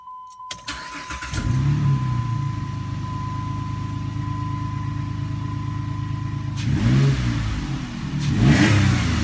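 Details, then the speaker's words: 2006 Jeep Liberty after replacing cylinder 3 coil and plug, previously stumbling and misfiring without codes, check engine light still on: engine catches and settles into an even steady rumble with a smooth rev blip, no stumble or miss. "She ain't stumbling no more."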